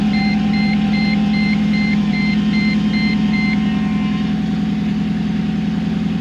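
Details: Mercedes C55 AMG V8, first cold start after intake manifold install: loud lumpy idle pulsing about three times a second under a repeating chime; rough idle because the MAP sensor was left unplugged.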